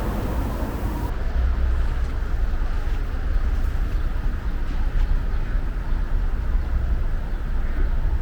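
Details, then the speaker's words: Hyundai Solati camper diesel just after an engine oil change of about 8 L: a steady, low rumble with no knocks or ticks, noticeably quieter than before. Normal diesel idle. "아 , 훨씬 조용해졌네 요 . 엔진 소리 가 확실히 더 조용해진 것 같네 요 ."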